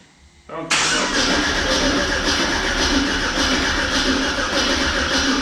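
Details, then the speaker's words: 1979 Pontiac Trans Am with LS swap and Holley Terminator X, first start attempt: starter grinds over sluggishly, about four lazy pulses a second, without catching; slow cranking from a low battery, charger to be added. "Battery sounds like it's getting low. And then put the charger on. Yeah. There's another battery where I might switch it out. It's cranking slow."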